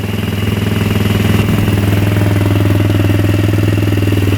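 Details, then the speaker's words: Fuel-injected Polaris Sportsman 110 that won't move in gear although the chain turns: steady, even single-cylinder idle with smooth low thump and no knocks or misses; engine running healthy. "So you start it up, it runs good. See, it runs really good."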